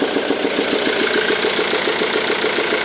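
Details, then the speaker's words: 2002 Ford Mondeo 2.0 TDCi 115 diesel at idle: sharp, fairly regular clacking over the engine note, louder with the airbox removed. Starts fine, no smoke, power loss. Suspected intake valve not closing (carbon or bent valve). Clatter at idle. "là j'ai dévissé les boîte à air et quand je vais la retirer le bruit encore plus flagrant [Musique] faire priori soupapes d'admission qui ferme mal"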